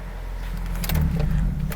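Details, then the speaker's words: 1995 Mitsubishi Libero 4G15 with a faulty distributor coil causing weak spark and loss of power: the engine picks up and revs freely with a smooth, even rise and no misfire. The distributor is now working properly. "So, which is good. So that definitely tells me that this distributor is working like it's supposed to, right?"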